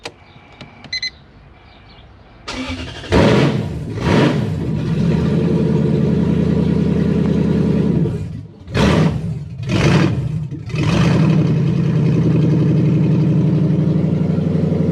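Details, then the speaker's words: Toyota KZN130 Surf with 1UZ Lexus V8 conversion, idle issue: V8 cranks, fires and blips with revs given by hand or foot, dipping, then settles to a high steady idle; faulty ECU, idle control not resetting, main relay not staying on at shutoff. "okay turn it off one two three yeah that's weird because that just stayed that turned off immediately that's really weird okay let me do some diagnosing that didn't do what it should do at all"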